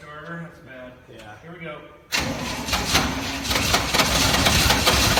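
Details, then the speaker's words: 1969 Chevy C/20 327 V8, sat for 40 years, after ignition work and with the muffler cut off: starter cranks at about three turns a second with ragged half-catches; cranking, nearly starting, fires shortly after. "so close here we go it's so darn close it's close"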